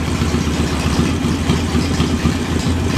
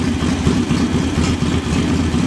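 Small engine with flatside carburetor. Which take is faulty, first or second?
first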